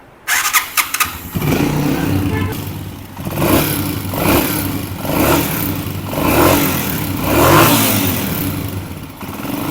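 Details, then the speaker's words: Honda CG 125 old-model single, kick-started before tappet adjustment: light ticking clatter riding over the thump as revs rise and fall; valve tappets loose and noisy, to be adjusted. "अब इस bike के जो टपट है वह काफी सारी आवाज पैदा कर रहे हैं"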